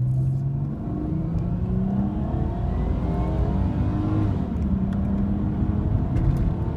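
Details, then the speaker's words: Toyota 1G-FE VVTi IS200 with ACIS intake valve disabled (vacuum lines removed and blanked, held in low-volume position), acceleration test: deep induction roar climbing with revs, much louder than the factory intake even with paper filter; no kick, revs clean. "you'll actually hear that it's quite a lot louder the completely Factory intake even a paper air filter it's much much louder"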